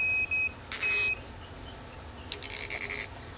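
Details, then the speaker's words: Tormach PCNC440 tool changer low-pressure switch, drifting set point being adjusted: multimeter continuity tone cuts in and out as set point is backed off; switch had actuated just over 100 psi, later actuated around 55 psi. "see what kind of low pressure actuation we get see what pressure it uh it turns on at"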